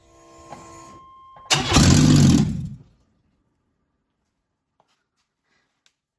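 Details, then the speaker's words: Chevrolet S10 with downpipe removed during flex pipe replacement: brief start with a sudden, very loud raw blast and deep rumble before shutoff; open exhaust manifold. "well we have an open exhaust manifold I feel like we should see what it sounds like probably a dumb idea seeing that it's 11 30 at night"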